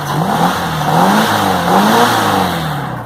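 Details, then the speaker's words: VW Beetle (Fusca) engine after replacing a very dried-out, overage belt that was causing a strange noise. Smooth, even revving rises and falls cleanly with the throttle, with no squeal or chirp from the belt. Noise gone; normal running. "então galera é isso aí mesmo conforme o suspeitava então né agora com a correia nova o barulho sumiu"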